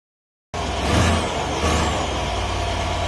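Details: Stock 2012 Mercedes E550 4matic, M278 twin-turbo V8, cold start after 5 hours parked: catches and settles into fast idle with a loose fluttering rattle in the exhaust; wastegate flap fluttering from a faulty linkage.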